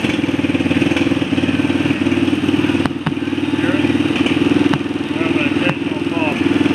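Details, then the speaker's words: ATV audio system after Goofit CDI and tune-up: with both Boss noise filters fitted on the battery feed, an occasional sharp pop still comes through the speakers over the steady idle and music; engine electrical interference not fully filtered. "I'm not very impressed I still hear an occasional pop from the speakers"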